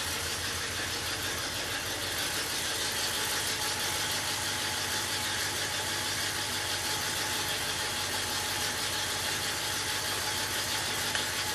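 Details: 1967 Oldsmobile 442 original 400 V8 rebuilt, running on an engine stand with original carburetor, points distributor, alternator and starter: steady even idle, smooth regular beat, no knocks or misses; normal idle.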